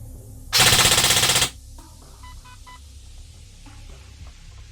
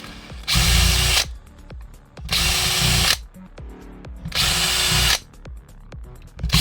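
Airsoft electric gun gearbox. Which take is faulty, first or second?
second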